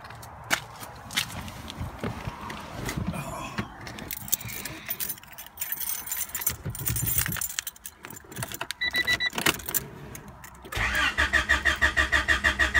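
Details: 1992 Honda Accord, sat for a while, about 332,000 km, check engine light on: keys rattle, starter churns about three beats a second, engine never catches; crank no start, owner suspects coolant temp sensor.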